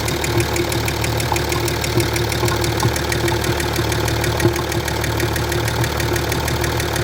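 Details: Land Rover Discovery 3 2.7 TDV6 diesel, hot engine at idle: steady repeating metallic knock, roughly ninety a minute, over the diesel rumble; cause not yet determined.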